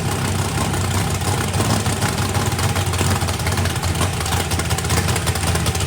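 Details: First fire-up of a freshly built 409ci small-block Chevy race engine, turbo not yet fitted, battery nearly dead, warming up: steady, even, deep V8 idle with no knocks or ticks. Good oil pressure (oil pressure spring shimmed). Normal idle.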